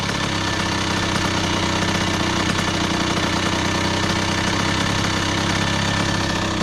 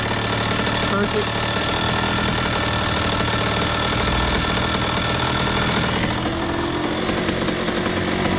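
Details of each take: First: 2001 Honda CR80 two-stroke, previously suspected of knocking, during idle screw adjustment by flat-head screwdriver: steady, even idle with a crisp rapid beat and no hunting or surging. The idle speed is now set right, not too high. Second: 2001 Honda CR80 two-stroke, previously suspected of knocking, with the idle screw being adjusted by flat-head screwdriver: fast, busy idle with a steady crackle that never drops to a slow idle. The idle is set too high ("definitely too hot").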